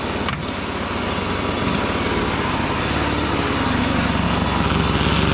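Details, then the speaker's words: Gas-powered Razor dune buggy small single-cylinder engine after repair with flywheel/coil re-gapped, running cooler: fast, even buzzing idle, no knocks or misses; sounds healthy. "Still sounds good and healthy."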